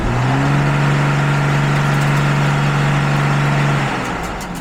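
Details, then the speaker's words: Stuck gas pedal on the red two-door L-designation Mercedes diesel: at startup the accelerator stuck, the engine roared at a steady high speed for several seconds, then fell away once the pedal freed. "Second problem was well the first problem was when you heard when I started it the gas pedal sticks and when it stuck the engine roared and I started up real fast."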